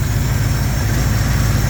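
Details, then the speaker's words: Jeep J10 petrol engine idling after exhaust repair: deep steady rumble, no exhaust leak ticking left, faint airy suction from the intake; engine still vibrates, less when warm or with idle set slightly higher. "see there's no exhaust leaks anymore no more ticking the suction noise that you're hearing is just from the intake"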